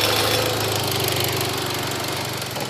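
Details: Mitsubishi Evo X GSR at idle, heard from outside the car and not audible inside: light, quick, even valvetrain and injector ticking over a smooth idle; the ticking was louder than before but is normal, with many trouble-free miles since.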